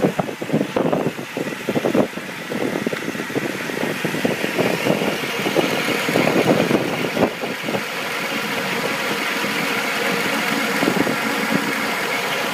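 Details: 1990 Mercedes 300SE 3.0 straight six, warmed up: even settled idle hum with no shake or miss, runs like a sewing machine; hard cold start and low power, possibly cold idle solenoid, fuel adjustment or plugs; low power-steering fluid causes a buzz.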